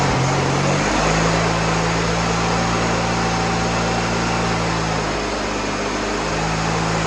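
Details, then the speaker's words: Freshly rebuilt VW Beetle 1641cc dual-port air-cooled flat-four with new pistons and rings, first start on the floor: steady even idle hum, no ticks, taps, knocks or smoke; engine healthy. "okay so the engine runs great no ticks no taps no knocks no smoke didn't blow smoke nothing"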